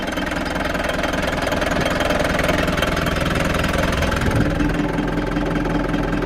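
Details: Frankia A595 motorhome, old Nissan diesel, abandoned 12 years, after fuel filter fitted properly; steady even idle clatter about three beats per second, no misses, little smoke, oil pressure present; normal idle.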